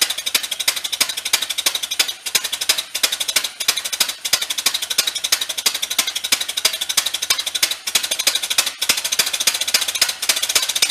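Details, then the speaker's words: 1931 Ford Model A pickup barn find, sat for decades, first start attempts with choke and a little throttle: fast, sharp, uneven exhaust popping about three per second, engine choked and labouring, "can't breathe"; owner suspects a nest blocking the muffler, not confirmed. "we'll give it a shot again and see if uh it'll kind of spin a little bit it just sounds like it's it can't breathe you know"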